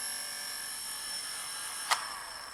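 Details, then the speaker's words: Small DC demo motor kit running with field magnet in the wide-gap orientation and second magnet removed: faint, thin whine sagging as it struggles to run; DC motor running weakly, magnet gap too wide. "if i put it in the correct orientation with a wide gap like this it doesn't want to run without the second magnet"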